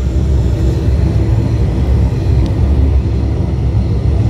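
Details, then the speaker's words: York burner fired by a newly installed White-Rodgers All-Spark universal ignition module, running a few minutes after pre-purge and spark: deep, steady roar with no popping, flutter or spark ticking; flame hard to see but lit and burning normally. "York burners are really hard to see the flame, but you can hear it. It's lit."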